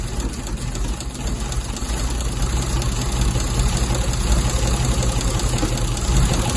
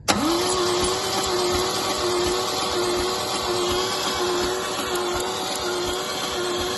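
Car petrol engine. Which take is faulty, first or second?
second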